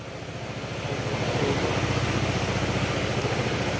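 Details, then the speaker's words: Honda PCX160 scooter idling after an engine overhaul with free crankshaft play fixed and sensors reset: even, rapid pulse rising smoothly, no knocks or rattles, earlier rattling gone, slight slider noise only; normal running, break-in pending. "Ayan. Nawala na yung kuligligan."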